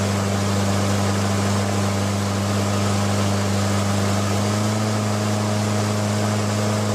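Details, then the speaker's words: Briggs & Stratton Quantum L-head engine on Craftsman mower, governor return spring bracket bent to adjust rpm, target about 3000 rpm: steady single-cylinder drone whose pitch steps up as speed changes during governor adjustment. "I'll speed it up and then slow it down and try to get it back to where it was. You'll be able to hear the engine RPM changing."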